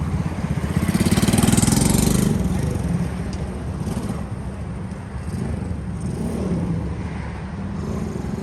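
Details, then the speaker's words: Custom Honda S65 with a Lifan 140cc four-stroke engine swap, ridden in a parking lot after years parked: single rises and falls smoothly with throttle, no knocking or misfire, over outdoor background; owner feels it pulls only like a 125. Normal running under way. "in my mind it doesn't have any more giddy up than what a uh a 125 has so it runs nice seems to ride nice"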